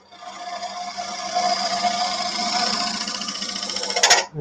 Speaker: that chatter means I've got since it's such a small bar on the tool it's overhanging the tool rest a little bit and you know little bounce to it